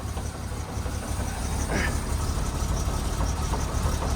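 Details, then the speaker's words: 1969 Chevrolet C10 inline-six just started after nine months, struggling at idle; deep uneven idle with loose heavy knocks about three a second as the exhaust bangs against the body from a broken exhaust mount. "We got some major knocking or something going on. Something is not right. Oh, it's the exhaust. Knocking around down there."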